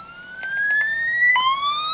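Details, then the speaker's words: Low Voltage Pro tester toning an RJ45 data cable via the TONE app: loud steady warbling tone sweeping upward and repeating without dropouts; tone generator working normally. "Okay. Now, the RJ45 gives you a couple more options than the coax cable did. You have all 3 tones."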